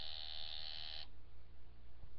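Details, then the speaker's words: Coil tattoo machine at 9 volts during back-end tuning, with proper depth and nickel gap set: a steady, harsh, uneven electric buzz for about a second, then it cuts out; it is not sounding good and needs further adjustment. "I kind of lost it there but he's held kind of I mean if that's not sounding so good because that's not sounding so good"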